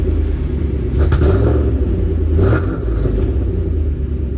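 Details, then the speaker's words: 1995 Mercedes W140 S500 after its mud-filled gas tank was replaced: starts almost right up and holds a deep, steady rumble with an even beat, no stumbling or surging; normal idle. "start it up I'm so excited I think it's going to run really really nice so let's get going"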